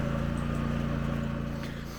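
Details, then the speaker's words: Craftsman ZTL8000 zero-turn mower, 54-inch deck, model 247.25061, with failing deck belt: with blades disengaged and deck stopped, only steady engine hum, no belt wobble or slap; normal running. "another thing as soon as you disengage the L or blades and the deck stops turning the noise goes away like right"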